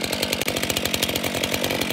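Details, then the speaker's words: New, unused Stihl 462 chainsaw with 45 cm bar, first start: crisp even two-stroke buzz at steady revs, clean regular firing, no misses or rattles; healthy new saw. "Să-i facem și prima pornire. Așa se aude un motor fierăstrău nou-nou."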